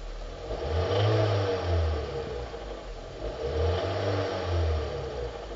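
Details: 2005 Hyundai Sonata 2.4 L 119 kW petrol engine, two throttle blips bring a deep knocking clatter from low in the engine as it revs; worn crankshaft bearings, replaced with new ones.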